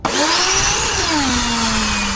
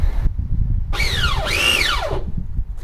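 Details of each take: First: Draper electric pressure washer on the bench, before its spur and pinion gear repair: when the held-in micro switch is released, the motor whines up quickly into a loud, even hum; the motor and pressure switch work normally. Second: Draper pressure washer after welding pinion back onto motor shaft: motor whines up and down in short bursts with uneven sagging pitch; weld failed, too shallow, pinion slipping on shaft.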